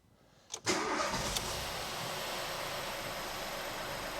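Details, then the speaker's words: 2013 Ford Fiesta 1.0 petrol just after oil and filter change, started without revving: brief crank catches at once, settles to steady even idle with no knocks or rattles; oil pressure light goes straight out, sounds good. "just let that tick over. Sounds good. The oil pressure light's gone straight out."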